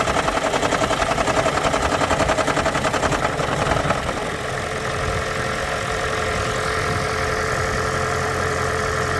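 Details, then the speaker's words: 2013 Lexus CT200h hybrid (Toyota 2ZR-FXE 1.8 L petrol): a harsh metallic "death rattle" at start-up that dies away after a few seconds into a steady idle, on about 60% of starts. Diagnosed as a leaking head gasket. "The symptom is that death rattle. So mine sounds exactly like that. And the rattle goes away after a few seconds, and then the engine runs fine."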